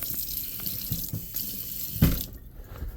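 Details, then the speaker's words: DIY household plumbing repair: after fixing the line, a steady rush of water runs from the tap with no sputtering or knocking, then tails off; it had no water flow before, and the line is fixed. "Okay. Hey, we got water coming out of there. Didn't have water coming out of there before."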